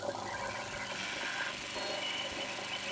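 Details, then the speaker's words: Brenell Mark 5 Series 2 1960s reel-to-reel tape recorder rewinding fast: steady, even high rushing whir of tape spooling with no flutter or scraping; transport rewinds cleanly and brakes stop sharply, normal tape rewind. "that noise is so old school isn't it look at the speed of that"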